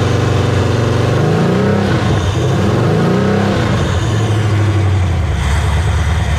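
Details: Resealed LQ4 6.0 LS V8 on a run stand with a newly installed Holley Terminator X: loud open-header idle, then revs up and settles cleanly with a smooth, even beat; normal idle and revving.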